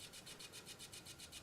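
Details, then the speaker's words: Sony boombox, one of a 1999 CFD-V35 and circa-2005 CFD-S350 pair, loading a CD: a fast, even rasping grind about eight times a second as the disc spins up, and it reads only after retries. A partly broken CD drive grinding while reading. "pop it in and you'll hear the grinding noise it worked yesterday we'll see if it wants to work now"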